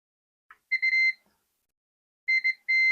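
The meter gives a steady high-pitched beep on each probe touch, so this capacitor on the 5 V line is shorted to ground.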